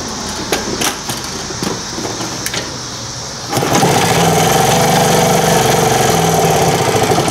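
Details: 1978 Indian moped with four-stroke gasoline engine, just restored with air cleaner fitted: quiet handling, then catches on choke at once after pedal start and settles into a steady, even run with no misses.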